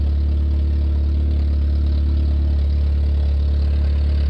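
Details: 1994 Nissan Sentra four-cylinder idling with the exhaust system removed, after a leak was found near the catalytic converter heat shield: a loud, deep, unmuffled drone and rumble with no hiss.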